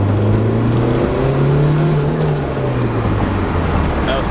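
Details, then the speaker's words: Turbo Honda Civic EG hatch, B-series, on a test drive after a sandwich plate was replaced: uneven, stumbling low drone with a wandering beat, pulling weak and struggling under load. Misfire from a failing fuel pump relay plus a vacuum leak. "oh my car sounds like it's about to die feels bad"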